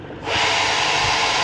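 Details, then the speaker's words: Epson L130 printer at power-on: harsh, steady grinding rush starts a quarter second after switch-on and continues; mechanism binding at startup, treated as a sensor problem, cause not confirmed. "প্রিন্টারটি problem দেখুন, এই যে আবার of করি, আবার on করি, এই যে শব্দটা হচ্ছে।"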